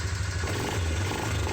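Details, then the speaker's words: Suzuki Vinson 500 ATV, which bogged under acceleration hot or cold, after the fix: the single-cylinder engine thumps evenly and picks up cleanly with instant throttle response and good power, no bog. "There's the fix. Instant throttle respond. Good power."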